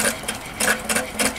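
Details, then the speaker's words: Allchin 2-inch scale live-steam traction engine, crosshead feed pump bypass being closed to feed the boiler: crisp regular ticking about three per second from ball valves seating, louder as bypass closes; normal pump operation. "just adjust the bypass on the cross head pump so at the moment it's open as you close it it'll get progressively noisier as you hear the ball valves working"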